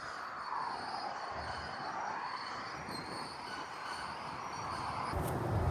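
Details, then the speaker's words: Large, wide farm implement working dry soil: a steady high-pitched squeal over a rolling rumble as it travels. The end bearing had failed and was first mistaken for scraping; a new bearing is planned. "Yeah, that'll explain the noise. That bearing's gone."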